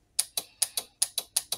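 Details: Crisp fast clicks, about five or six a second, nothing underneath, from a 12 V motorbike horn relay being test-wired to negative and switch; contacts switching properly when energized.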